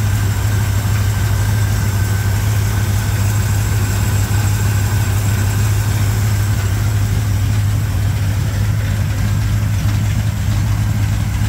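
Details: 1987 Chevrolet K10 4x4 truck, first start after blown head gasket replacement, warming up before test drive: steady, even low V8 rumble with no knocks, misses or ticks throughout; normal healthy idle.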